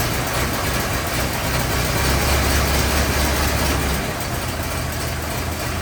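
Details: 1927 Ford TT four-cylinder on jack, new buzz coils, timing one and a half open, throttle up a bit, first run since bought: low fairly even chugging idle that swells and settles; running properly.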